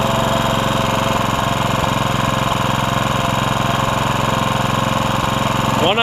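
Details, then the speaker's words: Honda HR194 push mower after replacing the ignition coil for a no-spark fault: small single runs at a brisk, even beat with no misses; throttle slightly lazy from a stretched governor spring; running well. "you hear how good it was the throttle's a little lazy but I'll show you why"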